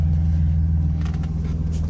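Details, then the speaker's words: BMW E46, warm idle after cam position sensor replacement, check-engine light on immediately: low rumble that stumbles unevenly now and then. Misfire. "You can hear it when it when it stumbles. That misfire."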